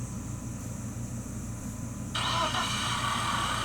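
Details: 1997 BMW 318i M44 four-cylinder after rebuild, spark plug wires redone in correct order: even idle, steady pulse, no misfire; oil on exhaust manifolds smoking; runs properly.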